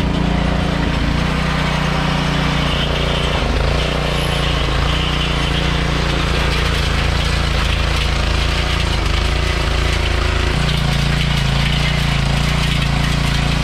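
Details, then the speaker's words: Troybilt Pony tiller, 5 hp Briggs & Stratton, after carburetor jet cleared with copper wire: engine chugging steadily, pitch dipping briefly under load; running properly again. "finally got our pony back out of the stable and she works all right"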